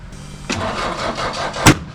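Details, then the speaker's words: Merkur (CosWorthless) engine on smart coils, ignition trigger set a cylinder off; catches roughly for a second, then one sharp violent backfire bang from incorrect ignition timing. "Uh, I advanced the trigger 180°, so it should be moved forward a cylinder. Right now, we are one cylinder behind where we started."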